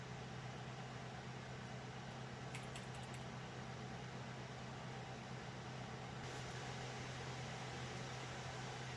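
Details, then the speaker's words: Alphacool Eisbaer Pro Aurora AIO on a server after pump motor replacement, full stress test: steady low hum with even, noisy fan rush, no rattle, gurgle or pump chatter, serious heat coming off the socket; cooler running healthy under full load. "yeah those heat sinks are actually working there's some serious heat coming off that socket okay so you can hear how noisy these fans are"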